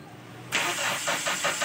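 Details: Toyota SB engine cranks evenly, about five turns a second, but won't catch; carburetor bowl empty, no fuel reaching it, though the fuel filter has fuel.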